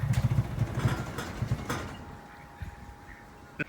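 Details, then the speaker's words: Nissan 240SX that bogs and stalls, TPS and coolant temp sensor tested good: uneven stumbling idle with irregular misfiring puffs that weaken and fade within two seconds as the engine dies; sputtering idle before stall. "The engine's still not running that well. You can hear it start to splutter. And it's gonna die."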